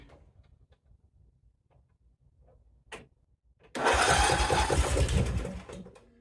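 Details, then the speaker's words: Briggs & Stratton 16.5 hp after replacing camshaft to fix auto-decompression slow-crank problem, valves rechecked, carburetor still priming: a click then about two seconds of quick even cranking that catches and runs briefly; normal cranking and start. "All right, guys, so it's all back together again. The carburetor is going to have to prime and everything, so keep that in mind, but let me show you how it cranks."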